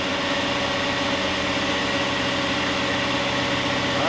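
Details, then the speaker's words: 2001 Sea Ray 340 Sundancer boat engine, about 100 hours, run after an oil change: a steady, even drone at constant pitch with no surging or dropping back. Earlier, in neutral with no load, it would reach 2,000 rpm and then roll back. "So it's working fine now."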